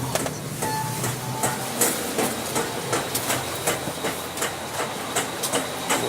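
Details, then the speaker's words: Honda CR-V automatic, both wheels removed, in Drive: sharp knocks two to three per second over a light whir, tied to wheel speed and worse under load; first thought CV joint, traced to the transmission differential. "слышите какой приятный стук видимости учить вот этот вот решит уходит коровки если прикоснуться к нему рукой то основная вибрация идет"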